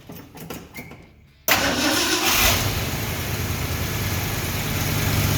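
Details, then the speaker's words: 1970 Ford F250 started after reinstalling the carburetor float needle and seat, with the fuel bowl initially empty: quiet ticking, then it catches on the first try and settles into a steady, even idle with no misses or stumbles. "okay so far that's successful let us continue to warm up"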